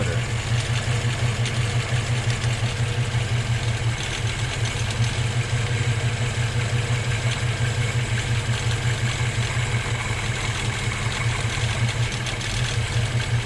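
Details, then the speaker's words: Volvo B18 engine with Weber 32/36 carburetor after idle mixture and speed retuning (about 1¾ turns), coming to a stop while driving: even, steady idle with no stumble or hunting; drops into a nice normal idle. "so the test here is when i come to a stop at a light whether it drops into idle nicely or not whether we're chunking along or whether it dies or picks up so that seemed to work pretty good dropped into a nice idle"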